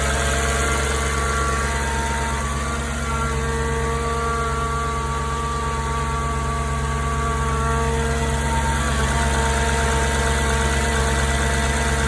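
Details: 9k-mile 2004 S4 cold start: steady, even idle with a low drone and a loud fan whoosh over light normal TFSI ticking, no chain slap. Normal cold start idle.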